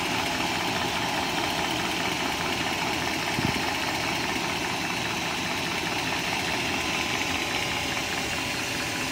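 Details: 1997 BMW 540i M62 V8 at idle: light, fast ticking rattle over a constant hum; owner suspects timing chain rattle, source unconfirmed.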